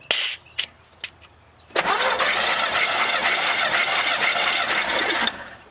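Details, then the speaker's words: 1982 GMC C10 barn find with a homemade propane engine, sat over 25 years, compression test after working the shifter back and forth to get it to turn over: starter whirrs steadily with even compression pulses; about 122 psi, normal cranking with good compression. "after working the shifter back and forth over and over it seems that she's actually turning over the way she should so now we just need to move forward and see if this thing has any compression"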